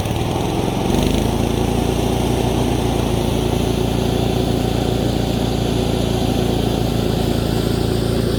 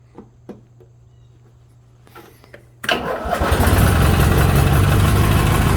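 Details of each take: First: 1987 Craftsman GT18 lawn tractor after a tune-up, on a test run: steady, fast, even engine drone with no hunting; the engine speed is set slightly high and needs turning down at the throttle spring. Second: 1987 Craftsman GT18 lawn tractor, warm after being driven, after tune-up with new carb gasket, needle valve, drive belt and battery: fires right up and runs smooth and even; engine sounds healthy.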